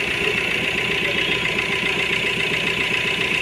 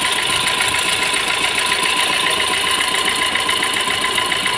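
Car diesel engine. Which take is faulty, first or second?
second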